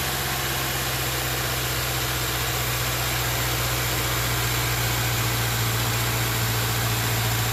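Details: 2013 Subaru Outback 2.5L just after serpentine belt replacement: even idle with a steady low drone and no belt squeal or chirp; some exhaust leak noted.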